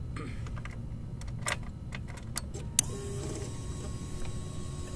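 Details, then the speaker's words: 2011 Suzuki GSX-R 600, new fully charged battery, mic close to the starter relay: sharp single relay clicks on each start press with no starter whir; relay engages but passes no current to the starter motor, found bad. "so that's all we get every time I try to start it up now that tells me a few things the relay is engaging and the magnet inside is working so it's connecting to the other side however it's not going to the starter motor"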